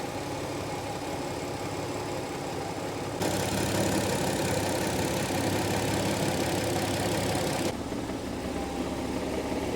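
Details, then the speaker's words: Nissan 300ZX Z32: once warmed up, the idle bogs rough and uneven, and after a blip of throttle the revs sag and it nearly dies every time. The idle is unstable; the owner plans a new filter, and the cause is not yet confirmed. "vous pouvez l'entendre s'enliser maintenant qu'il s'est réchauffé un peu je je vais lui donner une petite côte, il meurt presque à chaque fois"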